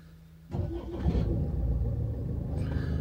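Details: 2013 Range Rover Evoque SD4 diesel automatic, after starter motor repair for clicking: brief crank, then catches at once and settles into a steady low idle; normal start.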